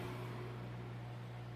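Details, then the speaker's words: Microwave after repair (rusted magnetron seat area sanded with 220 grit and repainted), heating water, which steams: even low hum with steady fan rush, no snapping or crackling. Normal operation. "nenhum barulho normal liou aí ó esquentando normal a fumaça aí ó água quente funcionando tudo perfeitamente"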